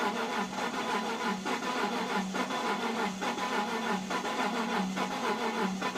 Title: Z4 crank but no start after sitting in the cold for 3 weeks